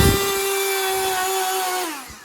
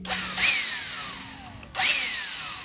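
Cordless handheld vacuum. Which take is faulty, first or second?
first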